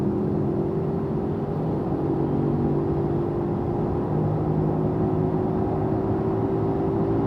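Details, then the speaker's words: Road test at highway speed: a steady low droning growl from a worn wheel bearing. It is speed-dependent, louder the faster the car goes, softer when slowing, and inaudible at 10–15 km/h. "So the faster I go, the sound gets louder, and when I slow down, the speed gets softer, and really 10K, 15K an hour, I'm not really hearing anything."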